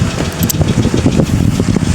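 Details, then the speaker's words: Cadillac DeVille after fuel pump replacement, steady idle with a light quick valvetrain-type tick plus some smoke; owner suspects low oil or possibly overheating, cause unconfirmed. "Um, but she's running, guys. She has a little bit of a tick"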